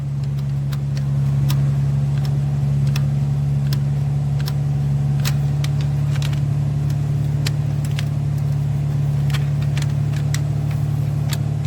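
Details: 2015 Chevrolet Silverado 5.3 V8 with P0300 misfire, blinking check engine light and valvetrain noise: idling with a sharp irregular tick roughly every half second over a steady low drone; defective collapsed lifter found not holding pressure.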